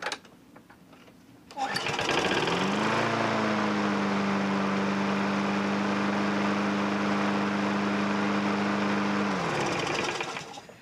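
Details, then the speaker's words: Craftsman 6.75 curb-find mower after its governor and carburetor freed up with use, no smoke: starts, climbs quickly to peak rpm, then settles into a steady, even operating hum without surging; a good runner. "you can hear it when you first start it you know it gets to its peak rpm and then like it settles down into its operating rings"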